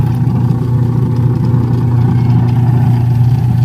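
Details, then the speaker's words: Washing machine, noisy from a broken gear, after an overhaul that replaced the gearbox and bushing. It now spins with a smooth, even low hum and the grinding rattle ("garalgal") is gone; it runs quiet and normal. "tahimik na ulit maganda na ulit ang Menor tahimik na ulit maganda ang idle automatic idle yan oh okay Ayos na Nawala na yung garalgal"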